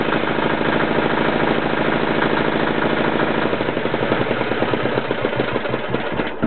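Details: Yanclone Suntom 186CF 406cc single-cylinder diesel in a Royal Enfield, second test run after rebuild (injector, fuel line, head and crankcase gaskets replaced, valves decoked): a steady thump with a firm, even beat and no irregular knocks before shutdown; running normally.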